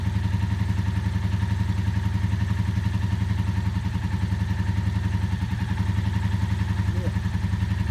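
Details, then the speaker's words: Barn-find 1984 Honda V65 Magna VF1100C on its first start after clutch bleeding and flushing debris from the fuel line. Steady V4 idle with a fast, light clatter, about 3–4 ticks per second; owner unsure if the engine is clacky and suspects not all cylinders running. No smoke. "trying to figure if the engine is clacky or not not convinced it's running on all cylinders"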